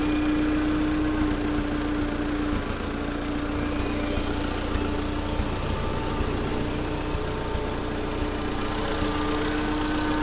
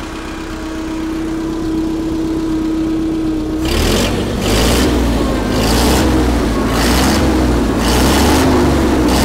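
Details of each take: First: Allis-Chalmers FP-40 forklift engine, first run after complete fuel system overhaul, unrun four or five months, oil shot into cylinders: rough uneven idle with small irregular backfires and pops; owner suspects ignition (points, condenser, spark plugs), not yet checked. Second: Allis Chalmers FP-40 forklift after fuel system overhaul and carburetor install, no air filter, idle mixture screw adjusted; rough run settles into steady even chuffing idle, spec about 500–550 rpm, no tachometer; normal idle.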